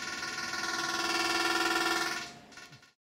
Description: noisy air-con - the sound on this clip has not been boosted at all, it is just as it was recorded.